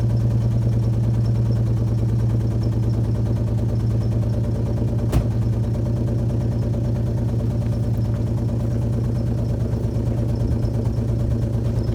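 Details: Alfa Romeo GTV V6 started after months parked: uneven idle beat with small stumbles in a steady low rumble; running rough, possibly a misfire.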